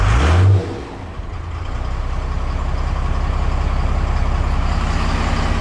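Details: 2008 Ford F250 (originally 6.4) swapped to a 5.9 12-valve Cummins, first run in the truck with intercooler piping and intake not finished: after a brief rev it settles to a steady, even diesel idle with no misses or knocks; tach steady.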